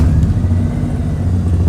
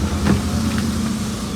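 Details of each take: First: Maruti 800 before silencer repair, engine started and idling: loud, deep throbbing rumble from underneath with strong vibration felt inside the car. Blown/faulty silencer (muffler), later repaired at a workshop. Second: Maruti 800 after silencer repair at a workshop to cure loud rough exhaust noise and vibration: steady low idle hum with even beat and only slight extra noise; exhaust sounds sealed and engine runs smoothly.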